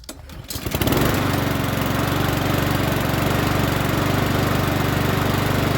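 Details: Troy-Bilt TB130 push mower, Honda GCV160, after turning the fuel tap on: catches after a second and settles into a smooth, even, steady putter with no misses or knocks; running healthy.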